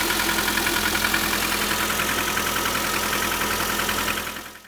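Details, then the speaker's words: Lada Granta FL, 3,500 km, morning cold start at -14 °C, petrol smell noticed: cold idle with busy uneven mechanical clatter ticking steadily over engine hum; knocking, source unclear. "завожу машину минус 14. Вот так тарахтит движок."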